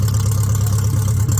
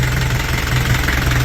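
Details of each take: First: Car running with new extractors (headers) just fitted, wiring jury-rigged; deep steady even idle drone, no misses, knocks or rattles; normal idle. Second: Engine idling after new exhaust routed between the upper control arms: rough idle with whistle and low chug, plus a busy light rattle from the top end; tappets need adjusting.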